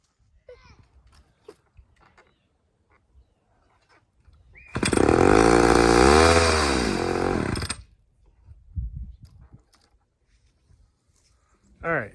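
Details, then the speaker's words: Chainsaw test, freshly fueled, second saw in a row acting this way: short snarling rev climbing and sagging about three seconds before dropping off; owner thinks it is running lean, cause unconfirmed, suspects the fuel. "so this is two saws now that are behaving like they're lean this is in a row freshly fueled two saws in a row that are doing this"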